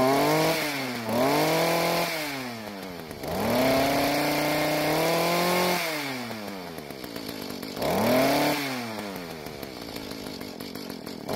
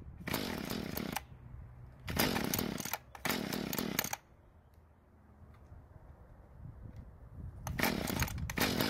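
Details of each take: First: Mantis two-stroke tiller, previously leaking gas and not starting, after carburetor adjustment (L screw turned out about half a turn, idle screw adjusted), revved with no load; revs up cleanly and drops back smoothly with no stumble; load test still pending. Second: Mantis two-stroke tiller, free, had leaked gas and wouldn't start: fires in short raspy bursts, stumbles and dies, only runs mostly choked and dies when revved; lean, not enough fuel at low speed, before carburetor L-screw adjustment.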